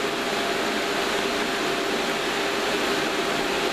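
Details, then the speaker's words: Two cooling fans newly mounted in a PA amplifier airbox: a steady, even rush of air with a faint constant tone and no ticking or rubbing; still reasonably noisy but a good bit quieter than before. "still reasonably noisy its I think that's that's a good bit quieter than it was"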